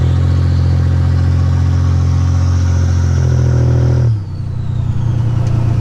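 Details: 1985 Nissan 300ZX Turbo (Z31) driving after new spark plugs and wires and replacing a torn intake/charge-pipe hose that caused a boost leak: deep loud exhaust pulls strongly and evenly without cutting out, then drops sharply off throttle; builds boost properly.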